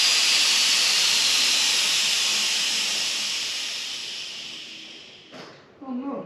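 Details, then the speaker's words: Chopped 1940 Chevy coupe, LS-powered, with air suspension: loud steady hiss of escaping air fading over about five seconds as the car lowers from full height; an air-ride leak is both heard and seen. "let see going down oh this thing got a leak I can hear it and I can see it"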